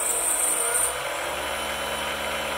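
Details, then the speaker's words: Precision Matthews PM-728V-T mill spindle at max rpm (4375) with quill fully extended: smooth, even high-speed whir with steady tone, no knocking, rattle or wobble, reasonable vibration; normal, well-balanced spindle run. "rpm fully extended quill sounds pretty good the vibrations they are reasonable so this thing is well balanced"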